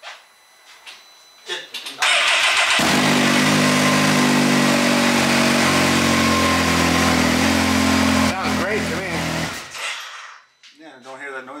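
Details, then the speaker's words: Engine cold start on an off-road UTV after coolant over-temperature issue, checking a suspected knock: cranks briefly, catches and settles into steady even run with no tapping or knocking; noise reportedly appears only after some warm-up. "you don't hear the noise maybe a little bit of warm up then we had the noise"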